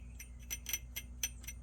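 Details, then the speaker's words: New Ford Bronco, grinding after off-roading: quick bright metallic "shing" strokes, about four a second, from an underbody guard rubbing the rear differential housing. Fixed by clearing the debris and tapping the guard forward. "that's kind of the noise it was making it was going shing shing shing shing shing because it was contacting this uh the body of the rear differential"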